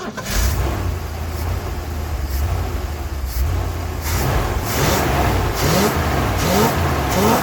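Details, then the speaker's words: 1980 ramp truck, 351M V8, started from outside the cab after ~25 years sitting: deep, steady rumble with quick rev blips rising cleanly and settling back; sounds pretty good. "Okay, sounds pretty good. I couldn't tell what was going on from in there, so I'm trying to start from out here."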